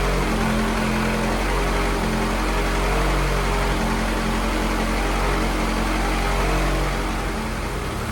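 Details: F24 engine, run of the newly installed motor before tuning, warming up to burp the coolant: a smooth, even four-cylinder idle with steady pitch and no knocks or ticks. Normal idle.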